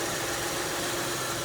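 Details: 2002 Kia Sedona after replacing the power steering pump, belt and idler pulley, checking for leaks: steady even hum, no knocks, rattles or squeals; idles smoothly.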